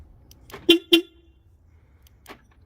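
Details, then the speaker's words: Porsche Panamera (970) alarm, old stock horn temporarily hooked up for comparison before swapping in a Directed horn: two sharp, loud honks about a quarter second apart; it works but is too loud. "that's pretty loud too loud"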